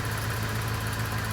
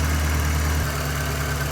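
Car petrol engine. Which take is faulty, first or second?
second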